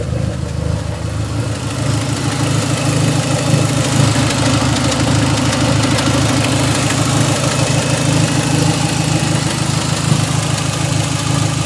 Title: Srt4 weird thumping sound